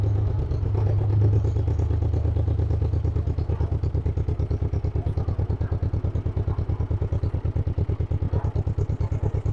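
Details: 1958 John Deere 420W two-cylinder tractor, cold start; stumbled a little early, now warming up with slow even putt-putt about three beats a second, no misses: normal running after cold start.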